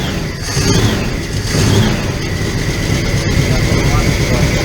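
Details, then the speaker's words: 1975 Pontiac Firebird project after carburetor float and needle work, first start: ragged, uneven running with sharp pops through the rumble as fuel arrives; it backfires, and the float is suspected to be set slightly too low. "Oh, backfiring with fuel, so."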